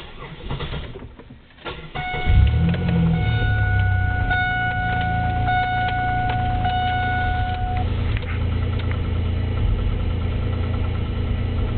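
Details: 3.8 engine, no misfires, no knock retard, no shavings in oil, 55 psi oil pressure: cranks, catches, then deep rhythmic knock at idle; began as a loud tick, turned out to be a spun rod bearing again.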